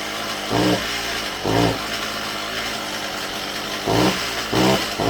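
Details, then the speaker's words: Stihl MS192TC chainsaw starts easily but bogs when given gas: each throttle blip gives a short flat burst falling back to a weak idle, never revving; clutch also squeals, air filter dirty. "now when you start it it starts easy and it wants to bog down as soon as you give it gas"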